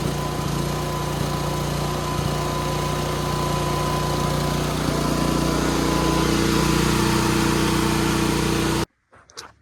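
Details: Free broken Chinese generator after fuel system repairs, started the next day to check voltage and frequency output: steady single-cylinder drone at constant speed, even and uninterrupted before shutting off; normal running.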